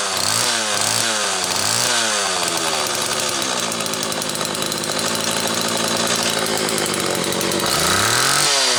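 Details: Homelite XL Automatic chainsaw after repair (new bar stud; a fuel fault had made it run only on full choke), half warm on a cold morning, started in about 6 pulls: sharp two-stroke buzz blipping, then holding a steady high rev, high speed tuned close enough. Runs normally.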